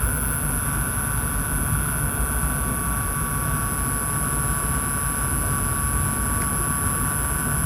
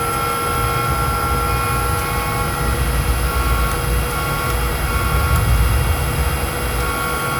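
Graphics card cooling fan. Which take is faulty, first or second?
second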